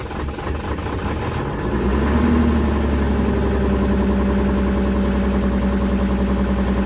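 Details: Volkswagen Touareg 3.0L diesel cold start after standing two days below -30°C (about -33°C): brief rise, then a steady clattering idle with a constant low drone; healthy cold-start idle.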